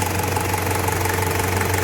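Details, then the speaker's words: 1KZ-TE diesel Toyota Surf after a capital rebuild for piston knock from a scuffed cylinder, slightly warm, tachometer not working: even idle clatter with a steady low thrum and no heavy knock; normal idle after repair. "ну так сейчас работает машина после ремонта сейчас она немножко уже тепленькая прогретая запустили тахометр но здесь не работает по каким-то причинам теперь слышно чтобы не стучит"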